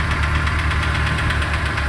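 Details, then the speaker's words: 2008 Renault Logan 1 started cold: fast light ticking, roughly six a second, over a steady idle. The rustling chatter starts about 1:25 after start-up, grows, then fades, and is audible in the cabin; the source is not pinned down. "Его даже в салоне слышат. То ли стук, то ли шелест, не поймёшь."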